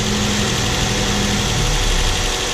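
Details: Mazda SP23 (Mazda 3) petrol engine idling smoothly and evenly after conrod bearing replacement for a bearing rattle/rod knock; steady hum with no knocking, normal idle.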